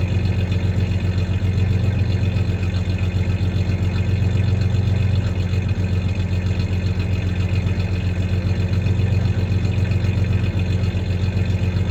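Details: 1993 Ford Ranger 3.0 V6 idling with a slight misfire, faint uneven stumble in the beat, plus a little rev; any clanking is tie-downs in the bed, not the misfire.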